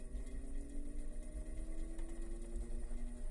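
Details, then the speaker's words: Antique GE desk fan, spec 272810, at about 120 V on low speed while oscillating: smooth steady motor hum with a soft, even rhythmic rattle from the pressed aluminum blade; running normally. "so we turn it on that's low"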